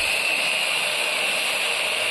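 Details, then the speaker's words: 850 W angle grinder on a 220-to-110 converter with variable resistor; turning the resistor down slows the motor, supply estimated around 100 V. Thin steady high whine well below full-speed pitch; motor slowed by low supply voltage. "Speed കുറഞ്ഞ് വരുന്നുണ്ട്. Speed നല്ലവണ്ണം കുറഞ്ഞു. എനിക്ക് തോന്നുന്നു ഇപ്പോൾ ഒരു 100 വോൾട്ടൊക്കെ ഉണ്ടാവും."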